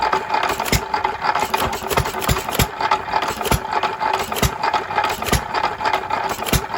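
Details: 3 1/2 hp small-block Jaeger hit-and-miss engine, previously stuck, running after reassembly: sharp single pops at an uneven hit-and-miss pace with coasting between firings; normal running.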